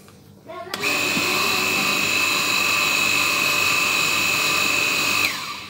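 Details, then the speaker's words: Jet cleaner (pressure washer) motor after repair and reassembly, test run: spins up to a smooth, steady high whine for about four seconds, then cuts off cleanly; sounds healthy. "Oke ini sudah jadi untuk mesinnya ini suaranya itu benar-benar halus ini kita coba untuk suaranya ya"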